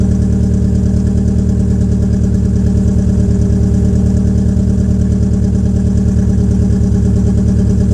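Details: 2004 Peugeot 807 SR 2.0, EW10J4 RFN petrol engine, cold start with the rear silencer removed: a loud cold idle with a pulsing, slightly uneven beat. The owner attributes the rough idle to tight valve lifters, and it improves as the engine warms.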